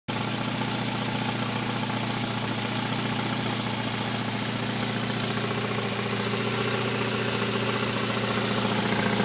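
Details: Saab 9000 Aero engine at steady idle: fast light tick, roughly three or four per second, over the hum; source unclear.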